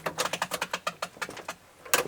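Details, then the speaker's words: Nissan Patrol (coil cab) with ignition on and engine off: a quick run of light ticks, about eight per second, that slows and fades. A fan is rattling, suspected to be dirt in it (unconfirmed). "That sounds like, oh, the fan's on. No, it's the fan. There'll be dirt in it. Yeah, it's just dirt. Dirt in the fan."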